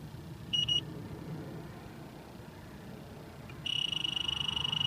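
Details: Trane package air conditioner being charged with refrigerant: quiet background, a brief beep, then a fast, steady high-pitched alarm ramping up as the electronic leak detector gets a solid hit at the service valve core, which had only a plastic cap.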